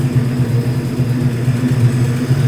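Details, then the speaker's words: 1967 Ford F-100 240 inline-six on its first day running after about 20 years, exhaust just cleared of acorns and leaves; the idle is fairly smooth with an occasional faint stumble, a slight misfire remaining, and timing not yet checked. "but it really is running pretty smooth. I think we've got a little mist to it still."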